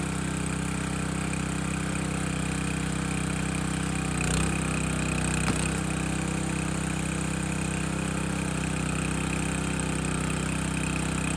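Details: Landworks 20-ton log splitter engine splitting a dry log; steady drone through the split with a couple of sharp wood cracks and no bogging; split easily, engine pulling fine under load.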